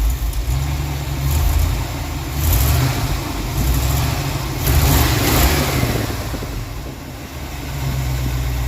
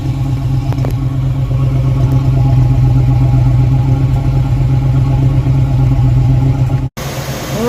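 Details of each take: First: V8 at idle after advancing the ignition timing, vacuum advance disconnected: deep, slightly lumpy rumble that swells and dips but holds steady, much smoother and stumbling far less than before. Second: V8 idling with timing previously set by ear, not with a timing light, heard at the exhaust: deep steady burble with an occasional uneven beat, a long-standing slight miss from incorrectly set ignition timing.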